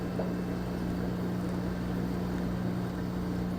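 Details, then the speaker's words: Washer with a no-water complaint, pump-out after the agitation test, timed to check for slow draining before high-RPM spin: steady even low hum, no gurgling, rattling or labouring. Drain tests good. "then you get a water pump out now the water has a duration of time in which it has to exit the washer uh within a reasonable amount of time before it turns the washer off"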